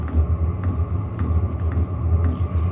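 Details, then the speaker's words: Hcalory 5–8 kW 12 V diesel air heater on its first start, fuel line freshly primed; deep steady rumble with sharp ticks about twice a second, a loud start-up noise the owner isn't sure is normal. "This thing's making some noise. All right. I gotta be honest with you, I don't know if this is normal or not."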